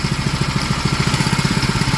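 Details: New Bilt Hard 7HP 212cc horizontal-shaft engine, first start on full throttle and choke, then dropped to idle; even, steady chuffing beat with no misses or knocks; normal idle.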